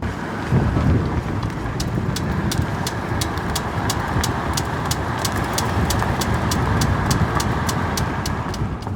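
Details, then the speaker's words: Nissan Gloria Y32 while driving forward: a sharp click once per rear wheel revolution over road hum. It is absent when the raised wheel spins freely in neutral and absent in reverse, so it occurs only under load; owner suspects the axle. "jakieś pomysły zaczynają myśleć, może to oś powiązane, ponieważ nie miało to miejsca podczas swobodnego obracania się , co oznacza, że dzieje się to tylko wtedy, gdy jest pewne obciążenie."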